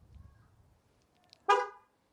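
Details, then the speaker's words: MG ZS EV after comfort software update, owner out with keys and ignition left on: one short bright horn toot when trying to lock, car refusing to lock; lock attempt warning with ignition on. "I've left the ignition on so if I now close try to lock that it's bonding like mad"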